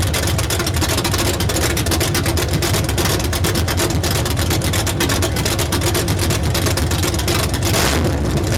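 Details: 383 stroker V8 with Comp Cams XR282HR cam idling with an uneven, loping beat and lumpy firing pulses.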